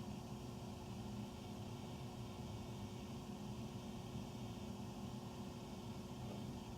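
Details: Furnace running after 10 PM: very loud, heavy, steady low rumble with a faint hum, heard through the main duct on three levels, recorded in the utility room; tiny water dripping noise between the loud noise; cause unknown.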